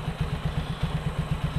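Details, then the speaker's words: Suzuki Skydrive scooter, kick-started and idling right after fitting a new air filter: small even thumps about eight a second, steady; idle unchanged, as with the open filter, healthy and stable. "Nah, kayak gini setelah pemasangan, stationernya nggak ada yang berubah, jadi seolah-olah open filter aja kayak"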